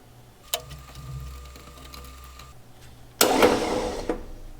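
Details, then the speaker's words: 1960 Ford Ranch Wagon with an OHV inline-six that sat 39 years: about two seconds of high, free-spinning starter whir with no cranking beat. The starter spins but the bendix isn't engaging the flywheel. "this turtle bendix isn't engaging just gotta talk to it a little bit"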